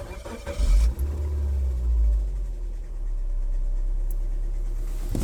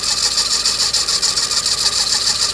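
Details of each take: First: 2005 Suzuki Swift petrol engine started with accessory belt slackened off the water pump, suspected water pump bearing; smooth low idle with no whine or rattle, so the noise is the water pump bearing, not the belt. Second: 2005 Suzuki Swift at idle: steady high-pitched whirring with fast warble, sounding like a bearing; belt tensioner loosened to isolate it, found to be water pump bearing noise.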